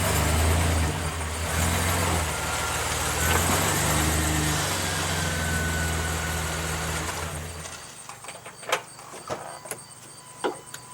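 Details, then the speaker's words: Manual truck backed up and stopped hard using the clutch, with its stuck wheel's lug nuts left loose: engine running, then sharp metallic clunks as the wheel shifts on its studs, showing it's freed. "I can hear the clunking, so it sounds like it's loose."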